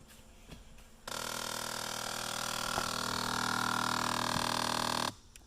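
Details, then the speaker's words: Jeep Liberty: rapid ticking under the dash, about four a second, whenever any door opens, from a failing blend door actuator; fix is replacing it (Dorman 604-037) or unplugging it. "So every time you open the door, you hear this tick tick tick tick tick tick tick tick sound."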